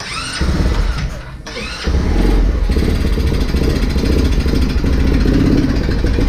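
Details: Vader 125 Grom-clone motorcycle, first start attempt after assembly, choke up. Rapid repeated cranking at about three turns a second that never catches. No fuel in the carburetor bowl; fuel starvation, possibly an empty tank.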